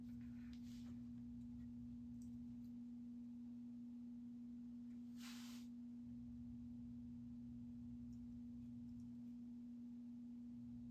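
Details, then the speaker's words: Space Duel arcade game during restoration, with coin counter harness unplugged and speakers reconnected: constant low-pitched hum returns through the audio; not the speakers, source not yet found, power brick suspected. "At least we can hear the beeps. Nope. Making that noise again already."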